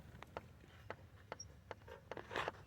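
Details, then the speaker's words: 2005–2010 Jeep Grand Cherokee rear driveshaft rocked by hand gives short, sharp, fast clicks from play in worn pressed, non-greasable U-joints. The owner links this to clicking when braking and plans to fit new caps. "hear that little click it's not a lot but it's just enough to show that there's some movement up here on these ones here on the side here so this these are the ones that are bad"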